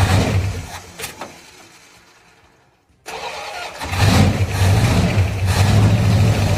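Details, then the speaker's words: 1935 Ford truck engine, previously locked up and revived after years, cranked and catching after a short gap: uneven, lumpy run with a wavering idle; rough running, suspected vacuum leak and carburetor trouble, not confirmed. "ain't try to backfire or something yeah not running the greatest"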